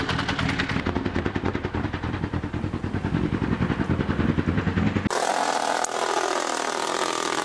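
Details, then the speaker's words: Honda CBR1000F engine at idle: loose metallic clatter a few beats a second from the rear of the engine, developed suddenly as a loud worrying rattle; owner suspects the clutch, thinks it is nothing major, cause unconfirmed. "Yeah, it sounds back here as a clutch. Well, okay, it's just something to do with a clutch and it's not something major."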